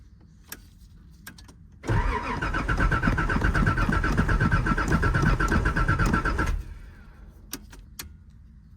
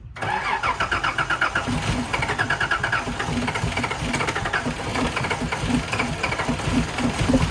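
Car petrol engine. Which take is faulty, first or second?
first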